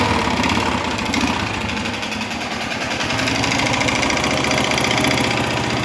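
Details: 2011 Honda Fan 125 motorcycle idling with a strong engine noise: loose, clattering rattle about three to four times a second over the exhaust; teardown of head and cylinder found cylinder and piston wear caused by lack of engine oil.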